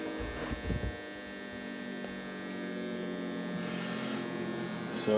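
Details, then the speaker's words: Optoma UHD60 4K DLP projector that kept flashing the lamp light after a new lamp; the color wheel index mark had flaked off. It comes on now, with a steady, high-pitched electric buzz and whir from the noisy, possibly worn color wheel. "well that thing's noisy but it is coming on"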